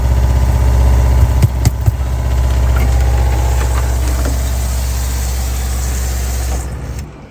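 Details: RV water pump under the bottom bunk next to the water heater: loud, low buzzing hum pulsing about four times a second, vibrating the whole RV, then stopping when switched off; old pump replaced with a low-noise unit.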